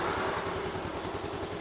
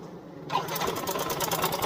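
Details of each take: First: Yamaha Mio M3 125 scooter after fixing the rough-sound complaint (traced to the stationary/idle part, replaced; manifold tightened): even, steady putter at idle with no knocks, now smooth. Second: Yamaha Mio M3 125 scooter idling, running rough, with the CVT checked as fine: fast, light metallic clicking clatter from the engine; the cam chain tensioner seems weak, leaving a slack cam chain. Cam chain rattle.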